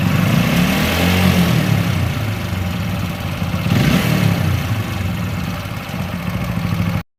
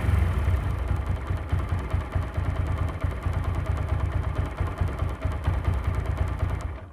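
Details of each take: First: TVS Apache RTR 4V motorcycle engine revving up and down with an uneven clattering rattle over the exhaust note, about three or four knocks a second; abnormal engine noise, cause unclear. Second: TVS Apache RTR 4V single-cylinder bike engine after sound-problem repair: steady low beat, settles without clatter before shutting off; running normally.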